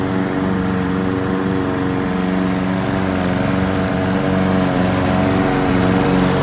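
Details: Honda and Mountfield petrol lawn mowers running together while being run out of fuel for winter storage: two small engines hum steadily at constant speed, no misses, knocks or hunting; both sound healthy, normal running.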